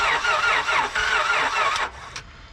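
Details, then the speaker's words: Car that died on the owner, no mass airflow sensor, mobile repair: starter whirs and cranks in uneven bursts for about two seconds, sounding bad, and never catches; does not start; mechanic asks about oil level; crank no-start. "sounds horrible. Try it again. All right, does it start at all? No. It does not start any longer."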